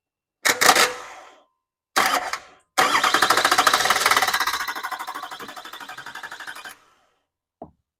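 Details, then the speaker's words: California Chevrolet Duramax LB7 diesel with no fuel in the tank, run on ether only; a mouse nest was found in the bell housing. Two short coughs, then a few seconds of uneven chugging that fades and dies with heavy smoke. The fuel system still needs filling and bleeding. "Okay, so that is a lot of smoke. But I'm gonna go grab some fuel, put it in the tank, see if we can't get everything bled."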